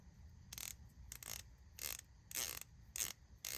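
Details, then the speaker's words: Palm-grip hand ratchet after cleaning, polishing, oiling and greasing: light, crisp bursts of fine even clicking, about a hundred strokes a minute, free of grit; about the smoothest ratcheting mechanism the owner has, smooth well-lubricated ratchet action. "That is about the smoothest ratcheting mechanism I have. I oiled it, greased it."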